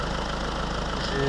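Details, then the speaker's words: Renault Clio 2 1.5 dCi diesel, just after replacing fuel filter with sensor: started, even steady diesel clatter at settled idle, no misses, knocks or hunting; running cleanly. "Allez, on démarre. Et voilà, tout va bien, ça tourne."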